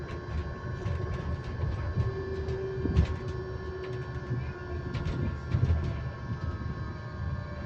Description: This is another thing I like about electric buses they can an sometimes make random sounds on constant pitches like this that are kinda relaxing to listen to but at the same time can kinda be annoying.